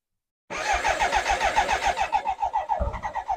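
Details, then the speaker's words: BMW K100 with fresh fuel and a new fuel filter (choke light stuck on): even cranking at about three and a half pulses a second with a few brief catches that never pick up. Cranks but won't start; fuel pressure, regulator and injectors are to be checked. "it now has been filled up with fresh Fuel and does turn over and tries to start as you can hear it tries to start a little bit there"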